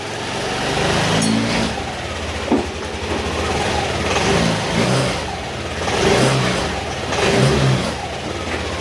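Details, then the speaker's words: Yamaha Aerox 155 after an engine overhaul on a cracked engine, with sensors, throttle body and magneto refitted and coolant added: idles and revs smoothly with no ticking or knocking, sounding healthy. A check-engine light is on and the aftermarket TPS is not yet stable. "Ayan, paantay na natin kung may pinagkaiba ba o nagbago. Ayan, tahimik na tahimik."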